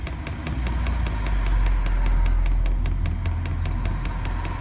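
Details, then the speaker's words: Newly fitted diesel heater in an LDV Convoy, re-priming after first start: sharp even dosing-pump ticks about four a second over a low rumble while waiting for fuel to come through; priming normally, later blows warm air. "wait for that to cool down just try and get some more fuel [Music] through so waiting on the fuel to come through"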